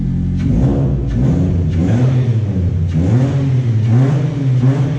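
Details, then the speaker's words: Mitsubishi Lancer after fitting a full cat-back exhaust with high-flow catalytic converter: deep steady exhaust note swelling smoothly with each of several blips, no ticks or rattles; revving cleanly, sounding much cleaner than before with no restriction. "Yeah, that motherfucker hit now. It sounds much cleaner than before."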